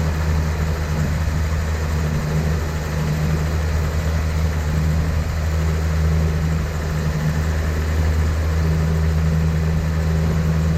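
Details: 1972 Datsun 240Z, sitting since 1995 and being revived, with SU carbs and a primed fuel system; it previously ran poorly. Steady, low, even idle with a smooth firing beat and no knocks or misses; it is running cleanly.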